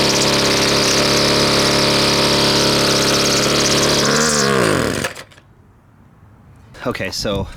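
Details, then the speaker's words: Husqvarna two-stroke string trimmer restarted before repair: buzzes hard for a few seconds, then sags and stalls, unable to hold idle. High and low carb settings are off and the air filter is clogged. Lean carburetor mixture. "let's start it back up because it's obviously got problems with the uh high and low settings and the uh idle is not right not right for sure still"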